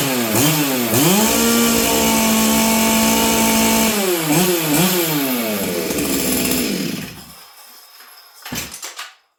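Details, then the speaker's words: Stihl 044 Arctic chainsaw, new coil, low jet leaned slightly from 1-1/8 turns, high jet 1/2 turn; revs rise and sag unevenly, falter on throttle, then die; still stumbling, later addressed with new intake boot, impulse line, fuel line and filter. "um it still feels like it's stumbling"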